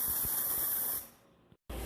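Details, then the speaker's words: Ultrasonic cleaner during troubleshooting, Gen 2 powered via the heater circuit and Gen 1 known good: steady cavitation hiss with a thin high whine, cutting off and returning; both generators working. "They both work. So we know 100% everything is good, and now we're going to have to start troubleshooting Gen 2 output."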